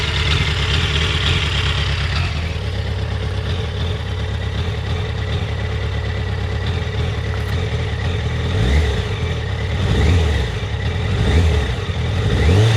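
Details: Yamaha FZ1 warm at low rpm: uneven idle wandering and dipping with occasional stumbles and small surges; coils tested in spec cold, spark plugs about 6000 km and 2 years old; problem intermittent, cause unknown. Rough idle.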